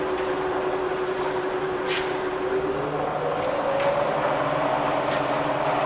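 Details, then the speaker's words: Bridgeport vari-speed milling machine spindle, running from about 500 up to 3000 RPM and around 900–1000 RPM: smooth steady whir rising with speed, no knocks or grinding; running perfectly. "So you can hear it's running absolutely perfectly."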